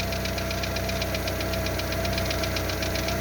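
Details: Lada Largus 1.6 16-valve VAZ 129 engine, cold, about 3 minutes after start: quick regular valvetrain tick, roughly four a second, over a rough idle with a torn exhaust flex pipe; persists after hydraulic lifter replacement, quiets when warm.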